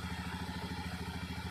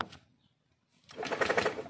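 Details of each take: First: Honda Scoopy FI after repairing rat-chewed wire to the ignition coil that caused no spark: even, regular idle putter, steady firing pulses, no misses or knocks; running normally. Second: Honda Scoopy FI after long storage: steady, even starter cranking for about four seconds with no firing. No spark, the fuel pump is hesitant at key-on, and sensors and the side stand read normal. Rats are suspected of chewing the ignition wiring.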